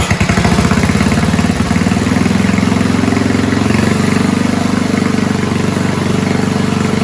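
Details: 1970s Roper 1032 snowblower, probably 10 hp Tecumseh-style single-cylinder, after repair: steady smooth idle without surging, once fixed-jet non-dumping bowl fitted and idle circuit mixture made slightly richer to cure hunting.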